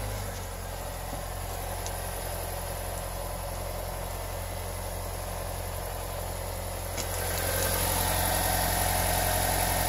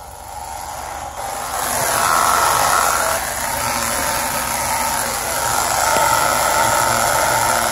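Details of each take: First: 2017 Honda Civic after cleaning and Teflon dry-lubing the CV boots that caused front-end rubbing/screeching: steady, even engine hum with front wheels turning, now silent with no rubbing. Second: 2017 Honda Civic on jack stands, in gear with the front wheels spinning: raspy, rhythmic rubbing screech from a CV boot dragging as the axle turns. Not tire or fender liner contact; cleaning and lubricating the boots fixed it.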